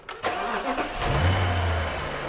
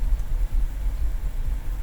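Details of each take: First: BMW N62 V8 after replacing the faulty cylinder two ignition coil that caused a misfire: sharp start settling straight into a steady, even idle, a massive improvement. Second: BMW N62 V8 at idle: deep, uneven idle that wobbles and dips irregularly, with vibration and audible sparking; misfire on cylinder 2 suspected to be its failing ignition coil, diagnosed with INPA.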